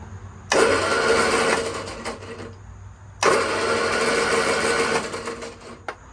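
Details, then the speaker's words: 1966 Triumph Spitfire MK II, off the road 41 years, during a compression test: quick uneven starter cranking without firing; cylinders 1–2 at 110–115 psi, 3 and 4 zero compression, a valve looks stuck. "we have zero compression on number three and four so thank you no compression number three or number four"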